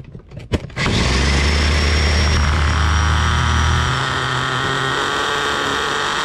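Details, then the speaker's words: Turbocharged nitro RC car: a steady high-pitched scream that sags after about four seconds and dies, followed by sizzling. The engine bogs and stalls, and the owner suspects too much fuel and overheating. "bogged out and died on us again boys"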